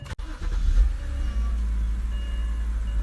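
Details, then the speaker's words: 2007 BMW 325i E90 after replacing ignition coils and plugs, cylinder four last to clear: brief crank, engine catches promptly and settles into even, steady idle with no stumble or shake; misfires gone. "issue at all. No misfire. No misfire. There's no shaking in the engine. Everything is good now."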